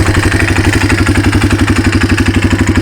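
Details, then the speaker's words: 1995 Yamaha Timberwolf 250 ATV, run low on oil previously: steady single-cylinder idle with sharp even tick about four times a second; owner suspects rocker or lifter clearance needing adjustment or cam wear; engine also smokes. "But you can hear it either needs the lifters adjusted or the rockers adjusted, or the cam's got a little wear in it."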